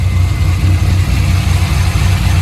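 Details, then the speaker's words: Corvette C5 idling in neutral after coolant tank replacement and fresh coolant: steady low rumble, smooth with no ticking, knocking or hiss, revs up cleanly; no steam or smoke. "all right gave it a little Vin Diesel rev still revs up nice sounds good"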